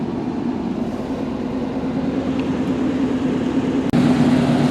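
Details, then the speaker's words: 1989 Chevy C1500 with a 350 V8 and 700R4, 101K miles, idling after being revved; steady, even low rumble, no misses, squeaks or whine, slightly louder near end; normal idle. "The old 350's kind of got a little rumble to it. Sounds good though. No squeaks, no whining."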